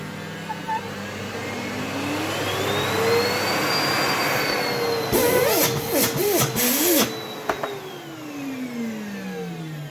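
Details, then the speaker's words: Samsung Easy 1800 W vacuum after repair of broken, displaced motor turbine (previously hummed without spinning): motor spins up to smooth steady quiet whine and winds down evenly, good suction. "тихо. Мощность всасывания также превосходна. Вот и всё, ремонт пройден успешно ."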